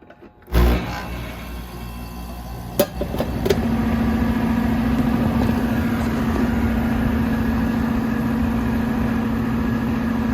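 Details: Goodman condensing unit on a maintenance call, with a leaking low-side Schrader valve found: a click, then the compressor starts and settles into a steady even hum with no rattle or grinding; apparently normal wear and tear.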